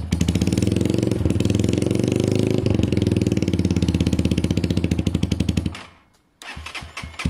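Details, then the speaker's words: SYM XS 125 single idling on a new up-jetted carb replacing a gummed-up one; steady even popping about four beats a second, dies briefly then refires; runs and rides fine, idle not fully smooth, probably needs a service. "runs rides idle is great probably needs a bit of a service uh just not i mean it runs and rides fine just doesn't idle as smooth"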